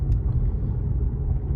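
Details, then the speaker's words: Lexus IS test drive on a cool day after silicone was applied at the rear glass contact points: steady low road rumble, no creak or squeak from behind the rear seats where it usually appears; body quiet. "I can already hear it after a few spins around the block uh I cannot hear that sound and before it was appearing somewhere around this area so fingers crossed that will solve the problem"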